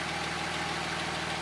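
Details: 1977 Porsche 911S Targa flat-six during a pre-purchase inspection in Oregon; steady, even engine note with no misses or stumbles, idle speed right. Normal running.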